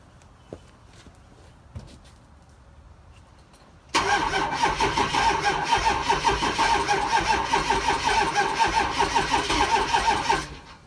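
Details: 6.0 diesel before bulletproofing: after a quiet lead-in, the starter spins it at a steady two and a half beats per second for six seconds without catching; cranks but won't start.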